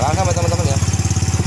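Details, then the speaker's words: Yamaha Mio M3 scooter with 58 mm piston, after replacing the camshaft, rocker arms and valve seals and cleaning: a quick, even idle putter of about seventeen beats a second with no knocking; earlier rough, hard-starting idle fixed; only intake filter and oversized open exhaust heard. "Tadi suaranya nggak karuan ya sekarang alhamdulillah ya udah bersih suaranya cuman suara filter aja ya teman-teman sama knalpotnya"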